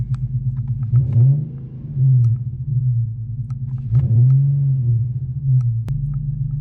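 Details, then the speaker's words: Nissan VQ 3.7 engine idling just after a DIY PCV delete: a steady low rumble with no air hiss, odd ticks or unusual noises, running smooth and even, so the install was judged a success. "While the car was running, I went ahead and took a listen. I didn't hear any air escaping. I didn't hear anything that sounded unusual."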